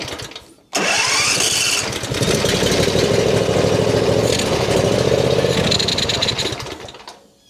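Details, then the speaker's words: John Deere Z355E zero-turn bought as a dusty no-start: it fires sharply, runs raggedly about six seconds, then sags and dies. It surges to high speed on starting; owner suspects governor adjustment, and a broken governor gear was later replaced. "Yesterday after I turned the camera off, I was trying to figure out what's going on because it's starting, you know, but immediately goes to high speed. So, it's usually the governor needs adjustment."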